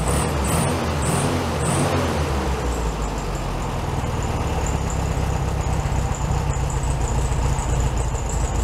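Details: 1967 VW Beetle 1500cc, warmed up after carburetor reinstalled on a new base gasket: an even, steady low putter with no stumbling or hunting, idling slightly fast. Normal idle, probably a little high.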